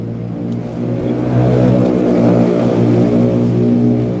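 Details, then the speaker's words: Honda Supra X 100 (NF100) not serviced for three years: rough metallic top-end clatter growing louder as the throttle opens; loose cam chain, fix is replacing the cam chain. "masih seperti yang saya Gambarkan tadi yang bunyi kasar itu Ini ganti rantai ketengnya rampung lah"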